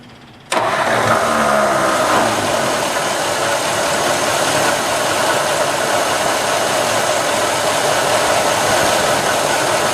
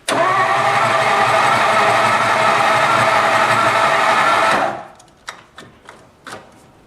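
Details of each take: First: 1954 Ford Skyliner old V8 after carburetor rebuild, carb still needing tuning: fires quickly and settles into an even, steady idle with no misfire or knock; runs well, though engine is leaking oil and transmission is low on oil. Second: 1954 Ford Skyliner, first start after carburetor rebuild: steady cranking about four turns a second that never catches and fades out, starter losing power through a poor battery terminal connection.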